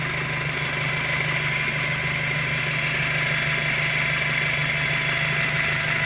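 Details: 2007 VW GTI at idle: steady unchanging high whine over a smooth idle, persisting after a new timing belt; source not yet pinned down.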